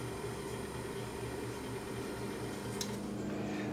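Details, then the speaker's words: Sound Symbol RPH220 direct-drive turntable, not working, arm lift motor runs and stops per button press; steady small-motor hum with faint quick pulsing, nothing rough; lift motor working normally. "i don't know if you can see it on camera but it's this motor here it runs and stops and i press the button again"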